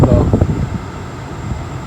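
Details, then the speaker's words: 2004 Toyota Camry after blower motor and blower resistor replacement, on the highest fan setting: a steady, even rush of air with a smooth low hum and no ticking or squeal. The blower is healthy. "all right guys Moment of Truth bam there we go blowing nice and strong"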